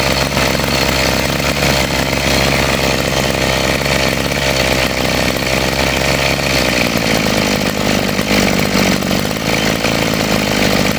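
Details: Model 411 brush cutter after repair of carburetor flooding from a dirty float that caused poor acceleration and cutting out, carburetor cleaned and reassembled; loud steady two-stroke buzz that settles to a new speed without faltering, running fine.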